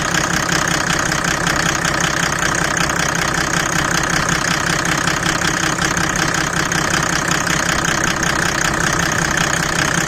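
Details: Mercedes W124 OM606 diesel, straight-through exhaust, ice-cold start with the bonnet open: fairly regular sharp knock about two to three a second over rough clatter. The owner feared rod knock; it was possibly an exhaust leak from a cracked turbo manifold pipe.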